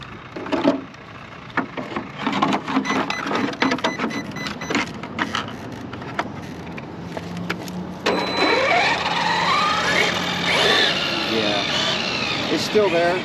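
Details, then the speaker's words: Traxxas X-Maxx after gear replacement for a tight mesh, tested until low-voltage cutoff: clicks give way to a whine rising and falling with throttle, slightly quieter than before. The mesh is judged perfect, just noisy. Gear whine. "but it's a little quieter but I think with the external mic that I'm running it really is picking up the sound but there's no there's nothing wrong with it the mesh is perfect everything is good just a little noisy"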